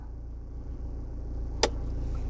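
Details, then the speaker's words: 2020 Toyota Hilux Conquest automatic, in neutral with brake pressed, shifted into H4: over a steady low diesel idle one sharp metallic clunk; indicator blinks until the tires rotate, then solid green; normal 4WD engagement clunk. "So we're now at H4. I hear a clunk sound, and you notice it's blinking. If it's blinking, that means it's not engaged."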